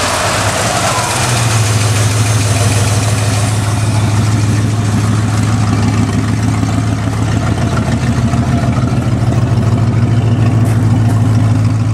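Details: 1969 Ford F100, believed 302 V8, C4 automatic, idling: loud steady idle with a raw puffing beat around 200 pulses a minute; exhaust leak, passenger-side pipe cut or rusted off, mufflers need replacing.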